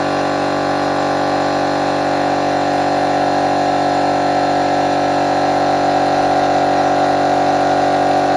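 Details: Newly refurbished compressor, dusted off after cleaning and repainting parts, first test run after plugging in: even, steady run with constant motor hum and fine rapid pulse beneath; no knocking, grinding or rattling; running normally.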